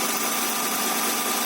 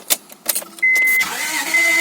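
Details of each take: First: Honda Accord V6, first start after the engine was reinstalled with new oil seals including the rear main seal: an even, steady idle with no knocks, ticks or misses. A check-engine light flashed, then went out. It sounds good, with some minor oil leaking still seen. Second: Honda Accord 2.3L (V6 mentioned), first start attempt after rear main seal replacement and engine reinstall: repeated cranking bursts with a chime, nearly starting but not catching; owner suspects a weak battery or insufficient fuel pressure. It later started.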